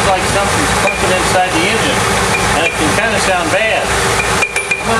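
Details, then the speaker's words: GM 3.8 V6 engine running: irregular metallic clunks and clinks like bottles banging around, fading when revved and returning as revs drop off load and at shutdown; separated harmonic balancer. "it up a little bit you can notice when we rev It Up take the torque off then always will kind of stop then when we let off the RPMs it'll come back now listen to it when I shut it off so it sounds like there's metal banging around almost sounds like there's bottles in there"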